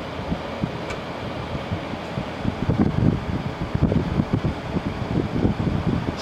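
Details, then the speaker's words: LG ThinQ window air conditioner, about 10,000 BTU, after a capacitor change for a fan that would not start without a nudge; grille not fully on, mid-60s°F outside. Steady rush of air with gusty buffeting as the condenser fan runs normally. "I don't have the grill on all the way either oh the fan is working"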